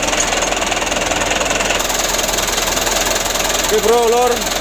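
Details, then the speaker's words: Mitsubishi Canter 125 (2008) diesel idling after adjustment for shaking, long cranking and low power: a steady, even clatter with no misses or shake as the engine settles and runs smoothly. "penyetelannya sutelo ini sudah sama-sama kita lihat ya alhamdulillah untuk hasilnya seperti ini Lur"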